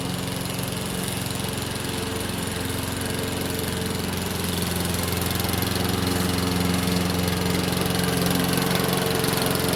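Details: Free Craftsman lawn mower, previously taken apart and reassembled: steady single-cylinder drone at constant speed under light cutting load, no stumbling or surging; declared fixed.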